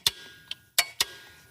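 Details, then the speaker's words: Zero-turn lawn mower electric PTO clutch on a second test after being bent to close the armature gap. Sharp, crisp metallic clicks each time it is switched on. The clutch now engages properly. "Okay, time to test. So, trial number two. Okay, so bring it in here. Hook it up. Much better. You hear that? Engage."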